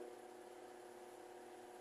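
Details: Mallory TS40 fan (bushing replaced this week) on speed 2: steady low hum with a soft whir; this abnormal noise occurs only on speed 2, while speed 3 is strong and quiet. Cause unknown.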